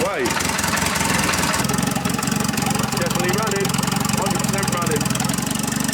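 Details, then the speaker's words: Audi A3 S3 2.0 TFSI quattro high-boost build, first start after assembly on the injectors, downpipe not connected, unmapped: catches at once, settles into loud raspy steady idle with open-pipe bark; normal start and idle. "so i'm gonna go for a first start and see if it starts on the injectors and everything no downpipe connected straight away"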